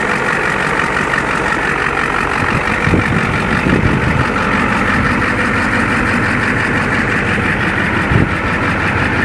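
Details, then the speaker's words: Ford 7.3L IDI diesel one-ton dually, parked three years, left to idle up to temperature: a steady diesel clatter with an even rhythm and no misses or heavy knocks. The engine idles normally. "for not running for quite a while. It sounds just fine."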